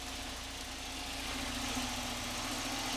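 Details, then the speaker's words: Volvo 945 barn find, first start after sitting 7 years since 2017: smooth, steady, quiet idle with an even low hum, no knocking or misses; normal idle. A small hole in the fuel line was found right after. "all right it runs wow that is quiet"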